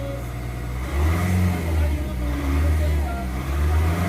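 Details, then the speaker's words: Nissan Navara Calibre diesel after engine cleaner/restorer treatment, previously throttle delay, vibration and low power: strong, even revs rising and settling in clean pulls, no knocks or misses; smoother with better torque. "tsaka yung yung andar niya mag-smooth yan yung torque niya speed yan may speed mabilis kahit may load ka pa, kahit may karga ka pa, parang wala yan sa kanya"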